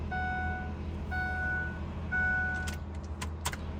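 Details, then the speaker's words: Ford F350 4x2 6.0 diesel with ZF, no-start: key on gives only chimes, clicks and vacuum pump hum, no injector control module buzz at all; module apparently unpowered, a fuse later found to blame. "You know what I don't hear? On top of this freaking vacuum pump and this lame ding-a-ling ding-dong is I don't hear any fickum. You guys hear anything?"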